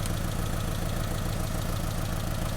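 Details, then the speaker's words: 2002 Honda Civic idling with a cylinder 3 misfire (code P0303), during a power balance test: lumpy, uneven beat that stays unchanged when coil 3 is unplugged, fixed by replacing the ignition coil. "we can do a Power Balance test to see which cylinder is misfiring now when I unplug one of these coils the engine should make a change in sound because you're creating a misfire"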